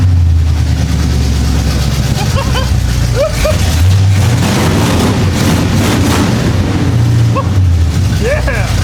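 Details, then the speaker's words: 1975 Chevy Monza 2+2 with 350 small-block V8 swap, sat about 20 years, after new distributor fitted: loud, lumpy idle with sharp throttle blips, holding steady with no misfire or stumble; normal idle and revving. "Brother! This thing is rowdy. I got all kinds of stuff in my eyes."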